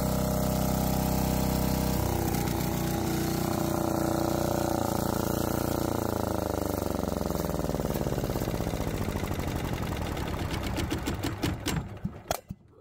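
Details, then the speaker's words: Lombardini 15LD400 diesel generator, old barn find revived on temporary fuel tank; steady even chug at constant speed with no knocks or misses, then smooth wind-down at shutdown; normal running. "I'm going to have to put on headphones or uh ear muffs cuz it's pretty loud"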